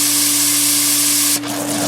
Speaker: Pump's catching prime. You can hear the air escaping.